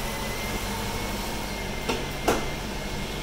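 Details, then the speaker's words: Chrysler 300C 5.7 V8 at idle with new 240 amp high-output alternator, faint steady high whine over the engine, voltage slightly low; cause not found, owner suspects possible belt slippage. "so why is this thing whining I mean is it that it's not normal I can't be normal that's definitely sit and hear that over the car"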